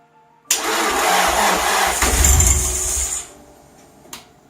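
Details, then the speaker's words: Nissan S14 Silvia SR20 after a front-mount intercooler and aluminum radiator install, being jump-started after battery troubles: starter spins about three seconds with brief catches that never take, then stops. Cause not yet diagnosed. "wanted to go it fired a bit I didn't hear any interference from battery"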